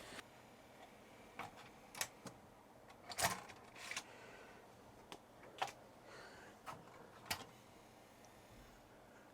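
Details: Commodore 1541 floppy drive, badly damaged, under repair: quiet background broken by scattered sharp ticks and clatters as the head steps in and out without settling, failing to read the disk; fault possibly ROM or temperature-related, unconfirmed.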